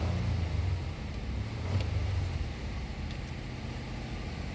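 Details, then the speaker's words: 2024 Nissan Pathfinder R53 that cranked but would not start: after the fuel pump control module fault was fixed, with the air duct still off, the engine settles into a steady low rumble with even firing and no knocks, a healthy idle. "So okay na, umi-start na. So bali ito lang talaga naging problema natin."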